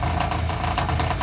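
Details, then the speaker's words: Vectra engine bay: crankcase skid plate (protetor de cárter) dented by a speed bump, bolt pushed in, knocks and vibrates against engine on acceleration; rapid regular knocking about five per second; skid plate rattle. "eu passei numa lombada ó e o protetor de carter quase afundou o parafuso aqui ó aí toda vez que acelera ele fica batendo aqui trepidando aqui"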